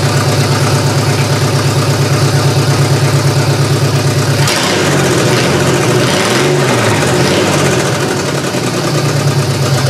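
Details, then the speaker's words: GM 3100 V6 in a Camry, after firing-order check: uneven throbbing idle that wavers and stumbles midway then settles; running better but still rough, owner suspects almost two-year-old gasoline is a main cause. "well I've got it running better it still doesn't sound that right to me I know there's a couple issues still with this one being that gas is almost two years old so I think that's one of the big things that's wrong with this right now"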